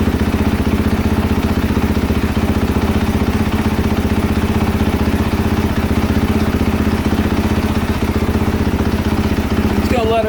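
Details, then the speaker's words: 2022 KTM 450 SXF after transmission repair (5th gear had failed), first heat cycle after coolant refill, no choke, idling warming up: steady, even thumping single-cylinder idle, no knocks or misses; normal warm-up idle. "idle for a little bit and get some temperature in her I'mma pause the recording while I do that and then I'll be right back we'll be checking for coolant leaks and things like that"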